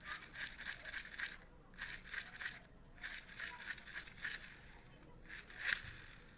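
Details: Daiwa Tatula baitcasting reel growling after a fishing season: gritty rasping whir rising and fading with each handle turn; replacing the main gear pair did not cure it, cause still unknown.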